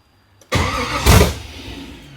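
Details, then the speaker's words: LS-swapped (LM4) Nissan 240SX on first start attempt, 43 psi fuel pressure, oil pressure present, no throttle bracket so no gas while cranking: short cranking burst, one loud flare, then fades out. Cranks but won't catch; owner suspects it just needs gas. "I wish I could crank it and give it gas at the same time."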